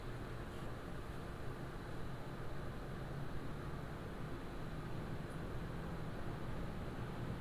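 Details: Montech HyperFlow Digital 360 AIO on open bench, ramped up from idle; radiator fans and pump give a soft steady light hum, no sharp pitch, whine or rattle — normal fan hum.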